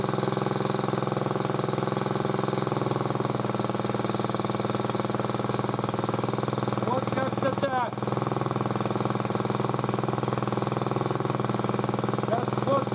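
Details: Motor-cultivator that knocked and stalled in autumn after hard use, started poorly; idling after cleaning; even single-cylinder idle with light tapping on each beat, about three a second; owner suspects a valve tapping, before valve check.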